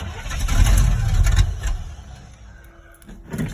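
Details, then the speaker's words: 1986 Chevy K10 carbureted V8, cold start in icy snowy weather with choke cable unhooked: catches with a low, uneven rumble for about a second, then fades and dies; needs pedal pumping and four or five tries to idle. "it takes like maybe four or five tries to get this truck to idle so there's it'll it'll s"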